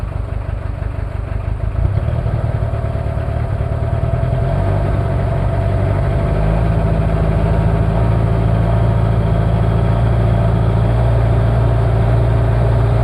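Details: Toyota 2L-T diesel cold start after piston ring replacement without top overhaul, possible head issues: deep uneven clatter at cold idle with irregular lumpy beat; one bad injector making it run rough.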